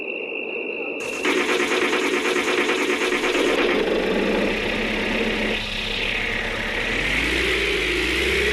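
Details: Old pickup's engine, first start in 60 years: catches and runs unevenly with a high steady whistle over it that shifts as revs change; whistle source unclear.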